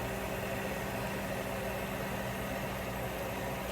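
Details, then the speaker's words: Frigidaire upright freezer not cooling enough: evaporator fan motor running after it was freed by hand and given a little WD-40; steady even hum with no scraping or stutter, normal fan operation. "now I like to let it run for you know a good hour or so before you actually do anything to it just keep it running let it run and with a little bit of WD-40 nothing crazy that will get it going"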